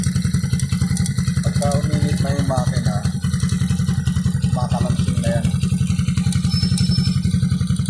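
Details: Warm 100/110/125cc single-cylinder motorcycle engine: a hollow marble-like knock three or four per second over the engine beat, heard when the throttle is released after revving. Piston slap from a worn, loose cylinder bore; block to be replaced.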